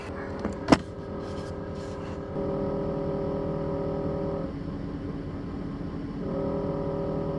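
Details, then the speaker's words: 2017 Ford 6.7 Powerstroke diesel at idle, camera on the dash: buzzy vibration that stops whenever the transmission dipstick tube is held and returns when released; vibrating dipstick tube, long mistaken for wiper motor area noise. "Something as simple as the transmission dipstick tube was causing all that aggravation the whole time."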